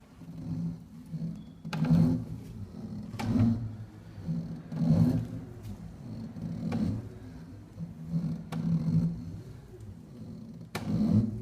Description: IPS 121 makes grinding noises and a loud clank when reversing directions.